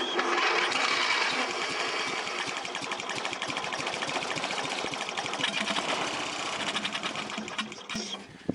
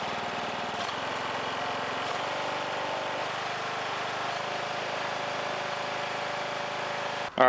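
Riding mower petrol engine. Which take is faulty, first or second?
first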